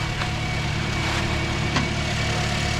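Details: 2010 Toyota Corolla, a crank-no-start diagnosed as a defective fuel pump by pressure gauge test, after the pump was replaced: smooth, even four-cylinder idle with no misses, knocks or surging; normal idle.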